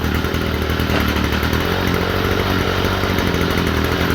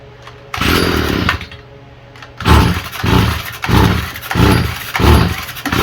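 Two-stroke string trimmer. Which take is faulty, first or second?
second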